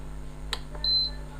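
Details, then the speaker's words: Induction cooktop after the cover was refitted: one clear, high beep about 0.2 s long over a quiet hum as it powers on normally. "तो चलिए चालू करते हैं हम इस induction को। तो देखिए ये इंडक्शन चालू हो चुका"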